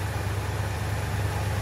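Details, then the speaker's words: 1965 Malibu SS convertible L79 small-block V8 after engine removal and new seals, timing well advanced, air cleaner fitted: steady, even low rumble with smooth firing and no ticks or knocks, running well. "all right got the air cleaner on still sounding real good"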